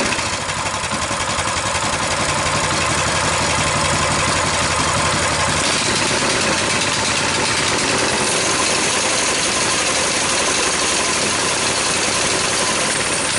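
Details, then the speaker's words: Coleman BT200X minibike after crash tip-over in mud, temporary fuel line, governor arm under constant tension, spring looks stretched; steady high-revving buzz with no drop toward idle; governor not letting throttle close. "we observe that when the engine is running this Governor isn't pulling back enough to let the engine idle"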